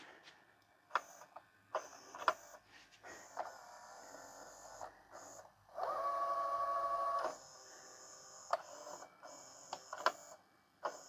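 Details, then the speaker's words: E-waste LG/NEC VCR: scattered clicks and clunks, then a short motor whir stopping abruptly as it engages the tape while the front panel still says rewind and stop fails; dirty mode switch suspected. "I don't think it knows what it wants to do. I think it's totally confused."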